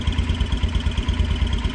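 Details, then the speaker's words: Kawasaki Brute Force 300 ATV (Kymco engine) after valve adjustment, oil leak fixed: a steady idle with a faint high chirp, pulsing with firing, from low on the engine. The source is unknown; the owner suspects the clutch. "it still got that little bit of a cherp at the engine I don't know what it is but it sounds like it's coming from down below it might be clutch ated"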